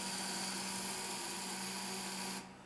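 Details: Humphrey pump trembler coil, ignition switched on and button pushed to fire the 50-50 gas-air charge after 5-6 minutes of operation: steady high electrical buzz held over two seconds, then a clean cutoff. Coil sparking normally.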